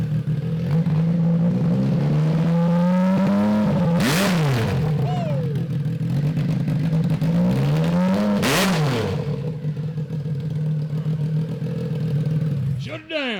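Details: Triumph 955cc in abandoned go-kart project catches and idles evenly, two sharp rev blips climb and fall cleanly, no misfire; oil leaking afterwards and looking creamy, possibly water. Normal running.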